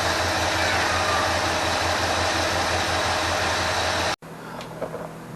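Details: 1980 Ford F350 carbureted engine after a carburetor rebuild and adjustment: an even, low idle pulse holds steady for about four seconds without stumbling or surging; the carb is working well again.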